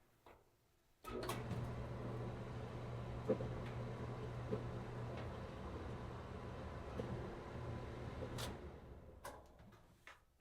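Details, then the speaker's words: Maytag dryer after squeak fix (drum reinstalled, lubed, lock washer fitted), run with vent connected: steady, even low hum, smooth drum turn, no squeal, thump or scrape; running cleanly. "Oh, listen to that! Sound of success, I think so."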